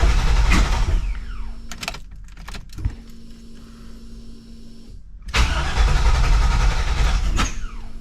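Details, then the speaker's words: 1986 Chevrolet C20 Suburban with 6.0 LQ4 LS swap, after replacing cam position sensor, code P0343: repeated cranking with stop-start bursts before barely catching, backfiring; hard starting caused by a loose cam gear that walked. "still doing this hard starting"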